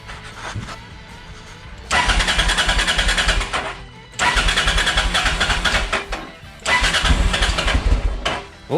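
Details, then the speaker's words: Honda XL650V Transalp that wouldn't start after a service and a month standing; fuel drawn to the carbs via the float-bowl drain screw, then short cranking bursts and sputtering until it catches and runs, with a new Arrow exhaust and DB killer fitted. "zaczyna gadać [Muzyka] zupełnie inna praca z tym wydechem na czystym kolektorem"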